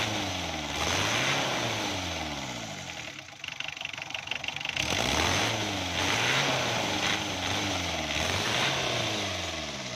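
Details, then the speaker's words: Diesel engine after injection pump was moved toward retard and its 12 mm bolts tightened to cure hard starting and weak pickup: catches and runs at a steady, even beat with light revs, no knocking or misfire. "Starting में गाड़ी बिल्कुल सही हो गई है दोस्तों।"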